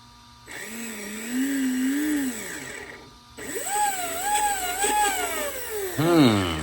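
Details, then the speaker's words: ARRMA Senton 2WD brushless motor on the bench after the motor wires were swapped: two bursts of rising whine, the second much higher pitched, so it still runs faster in reverse. The ESC is uncalibrated and needs tuning. "Ooh, sounds like we're still going faster in reverse."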